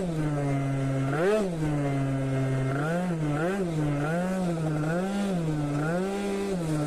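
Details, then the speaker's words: Scooter at full throttle: note surges up and down about once a second instead of holding steady, stuttering under load; owner says too much fuel. "Var dzirdēt, kad pilnā ručkā viņš raustās. Attiecīgi, jā, pa daudz degvielas."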